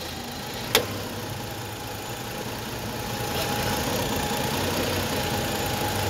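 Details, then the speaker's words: Hyundai Grandeur/Kia Opirus, after rerouting the serpentine fan belt around the auto tensioner, engine running in drive while steering: steady even hum, no squeal, chirp or rattle; quiet belt tensioner. "What do you think? There's no sound at all I just changed the way I put the belt on, but it doesn't make any sound"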